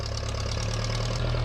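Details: 1956 Case 420B running after the bent crown washer under the distributor rotor was flattened, restoring spark; a steady, even, low firing beat with no misses or knocks, running healthily.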